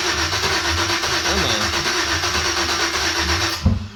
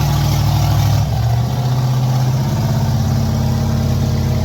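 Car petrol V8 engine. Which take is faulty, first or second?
first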